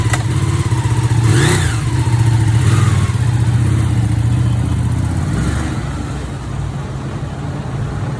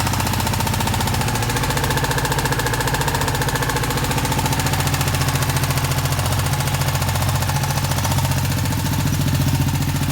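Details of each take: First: Ducati 959 Panigale engine idling after repair of an engine knocking sound: steady, deep throb with no knocking, sounding healthy. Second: Ducati 959 Panigale engine before repair idles with a steady, fairly regular knock tapping through its low rumble.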